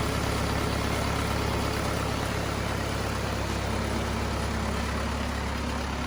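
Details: Cummins 4BT diesel in a Power Wagon, first run since 2015, temporary battery, 8 psi fuel pressure, not hot; deep even clatter at about four beats a second, steady without stumbles: clean normal idle.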